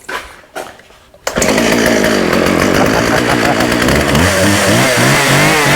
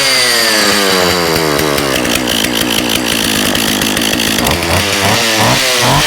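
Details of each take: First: Husqvarna 36 chainsaw with 14in bar, running without choke after carb clean-out and fuel line replacement: sputtering false starts, then pitch surges and sags as it cuts in and out. Coil or electrical fault suspected; off switch also not working. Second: Husqvarna 36 chainsaw, after fixing leaking fuel line, gummed carburetor and detached fuel pickup: high, crisp buzz that revs and settles evenly with a sharp pop, then shuts off cleanly. Good compression, no tune needed.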